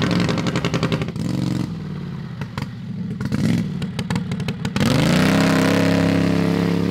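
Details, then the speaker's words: Drag rail kart with a modified Harbor Freight 670cc V-twin (about 55 hp); an ignition coil was replaced after contacting the flywheel magnet and the plug gaps were widened. Lumpy idle blips, then a strong, clean steady rev: healthy running engine. "so we're going to do some pulls of the driveway while it's running this thing sounds good"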